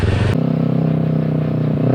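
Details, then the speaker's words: 600cc crosskart on first drive after 3 years of work, newly fitted chain tensioner: engine pulls hard with loud loose clatter from rear end; owner unsure whether tensioner or chain, everything rattling back there. "I don't know if I need a new tensioner or what, but the thing sounds like it's going to implode."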